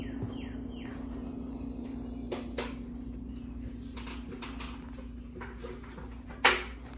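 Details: 52" Harbor Breeze Lakeside II ceiling fan before restoration, runs only on low at all three speeds, downdraft: steady low hum under slow-turning fan with a few light clicks; motor struggling on bad, cracked, partly melted capacitor.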